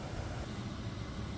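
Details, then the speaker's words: Sprinter van, replacement blower motor bench-tested before install (old one screeched). Smooth even fan rush and hum, no squeaks. Normal blower motor running. "you guys want to check it make sure it spins mine spins blows air no squeaks no nothing"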